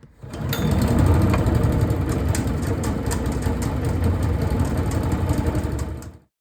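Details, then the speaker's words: Honda GX160 engine on Logic MSC120 sweeper after basic service: starts easily and runs smoothly, but a light rapid clatter about four per second rides on top; drive chain loose with failed tensioner. "The engine starts really easily and it runs nice and smooth, but there's still something mechanically wrong with this."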